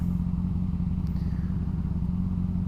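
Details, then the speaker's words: Motorcycle after the drive chain, unlubricated after riding in rain, was lubricated with high-performance chain lube: smooth, steady low engine note with no rattling or grinding; the earlier strange noise came from the chain and is gone. "mas era era da corrente Porque agora não tá dando mais barulho sabe lubrifiquei bem com aquele com o motor aquele que é para para moto de alta cilindrada né"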